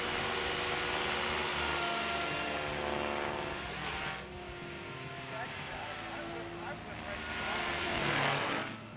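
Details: Align T-Rex 550 electric RC helicopter on a 5-cell 5000 mAh battery, test flight after replacing a failed, slipping one-way autorotation bearing: smooth, steady rotor hum and motor whine rising and falling evenly with throttle, no grinding or rattle.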